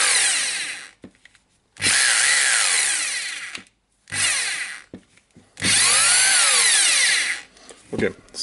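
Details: Hitachi DH22PH hammer drill after reassembly, run slowly in drilling and hammering modes: three even bursts of high, steady motor whir with a smooth hammering rattle and no grinding or catching. The drill runs healthy.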